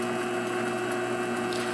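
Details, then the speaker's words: MX-180V mini lathe after potentiometer adjustment fixed surging, cutting under fairly heavy load; quiet constant motor hum at one pitch, consistently 312 rpm with no rise-and-fall surging; normal steady motor speed. "so that's consistently 312 rpm"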